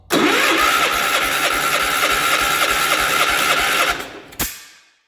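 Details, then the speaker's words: 1967 Gravely 430 tractor, cranked on ether: rapid cranking at about 3.5 beats per second with sharp pops mixed in, then it stops. Firing on starting fluid, so there seems to be some spark. "I think it has spark. Maybe a little. Did you guys see what snap, crackled, and or popped?"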